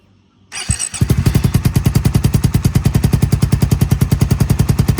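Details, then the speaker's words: Suzuki Satria injection with a 3-mode DB killer silencer after over 2 years of use, weakened valve spring: the engine catches and settles into an even, punchy idle; raspy tone as air leaks from the silencer baffle (tissue test). Exhaust leak. "Perhatikan, saya menggunakan tisu untuk memeriksa kebocoran seperti ini. Udara bocor dari sini. Jadi untuk saat ini, efek peredaman suara telah berkurang dan tidak setenang sebelumnya karena udara bocor keluar dari sini."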